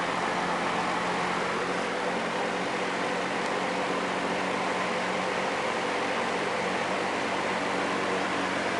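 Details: Early-1950s Westinghouse box fan with previously weld-repaired blades, running on low: soft, even airy whoosh with a faint steady low hum, quiet; old fan runs smoothly.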